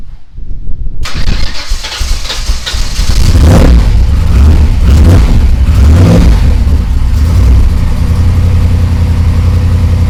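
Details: Ford Ranger rock crawler truggy with new scrap-built exhaust and new Magnaflow muffler, first start and drive: catches quickly, deep strong revs rise and fall smoothly, settles to steady rumble; fires right up, runs and sounds good.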